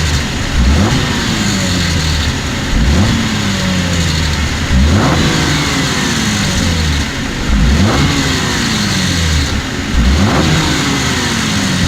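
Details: 2014 Cadillac CTS V-Sport turbo, 61,000 miles, revved in neutral in the driveway: a brief tinny rattle every time the throttle is released coming out of boost. Source unconfirmed, possibly turbo area; the dealership said everything is fine.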